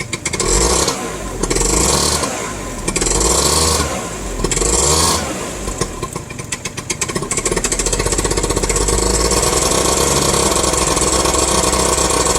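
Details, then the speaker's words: Two-stroke scooter, idle surging between 1,000 and 2,000 rpm and sputtering at the low end: after a few throttle blips the idle stays high for a moment before creeping back down to about 1,000. "See, then it'll kind of idle high for a minute after I rev it up, or like, say I was riding down the road and I went through my full rev range, came to a stop."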